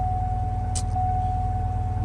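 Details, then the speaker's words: 2006 Cadillac DTS Northstar V8 after a crank-no-start, fixed by reseating a battery cable that wasn't contacting the battery post: starts and holds a steady, even idle hum with no misses or stumbles. "So, we got lights and the car starts. the car starts."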